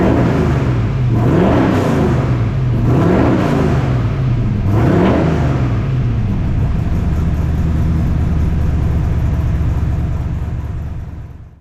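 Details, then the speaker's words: 1978 squarebody V8 with full roller rockers, new 3-inch exhaust and Flow Monster mufflers, first start; deep rumble through three clean blips settling to a steady idle, exhaust much quieter; normal revving. "uh everything seems to be working great exhaust sounds good it's way quieter"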